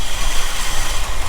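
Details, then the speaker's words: 1975 Ford F350 ex-fire truck unrun for about 20 years: old V8 lumpy, uneven idle with deep pulsing rumble; suspected carburetor issue, probably a vacuum leak or two. "all right sounds like some carburetor issue probably have a vacuum leak or two"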